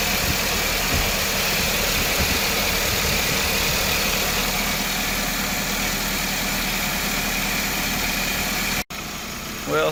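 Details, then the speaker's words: Toyota Camry 4-cylinder, cold morning restart, no DTCs: low, slightly uneven idle with a steady hum, no flare-up, under 1000 rpm versus about 1500 expected; sticking, dirty idle air control valve. "i didn't see the flare up you see like didn't even get to uh 1000 rpm that we should get like about 1500 rpm it's very low right now the rpm"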